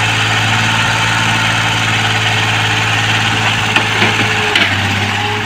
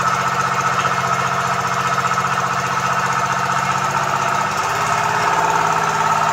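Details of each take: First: Komatsu PC-20 excavator 3D84 diesel after injector repair and replacement, with an electric fuel pump and a fuel filter added: a steady, even idle with a smooth, low drone and no knocks, misses or surging; runs cleanly. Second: Komatsu PC-20 excavator, 3D84 diesel, with low power, black smoke and hard starting: rough, uneven idle with irregular knocking and a wavering beat; injectors not spraying properly.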